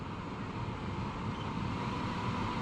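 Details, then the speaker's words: 12 V Fresair S7i van cooler, bench-tested by touching it to a battery before installation: steady, even airflow whoosh with low hum, no rattle or ticking, blowing out bits of filter. Fan and motor confirmed working. "So if we get it up there and it doesn't work, if for some reason something isn't working, we know the fan and the motor and everything works."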